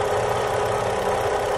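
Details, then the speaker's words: 2009 Kia Carnival at idle: steady, even mid-pitched humming drone over the engine, traced with a stethoscope to the water pump; water pump bearing hum. "ito kita po ninyo Meron pong ah ah noise humming noise"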